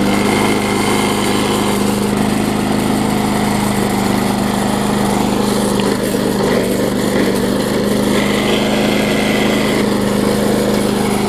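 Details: Bolens front-wheel-drive self-propelled push mower with roughly 4.5 hp Briggs & Stratton, after regapping ignition coil that sat too far from flywheel (had no spark): steady buzzing single-cylinder drone, no misses or hunting; running cleanly.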